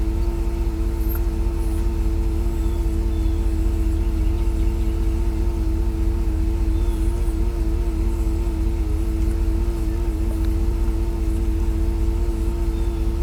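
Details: Outdoor AC condenser unit of a newer system that wasn't cooling; it had been cycling on and off every 30 seconds. Here it runs normally: a steady low hum and even fan whoosh, with no scraping, ticking or pitch wobble.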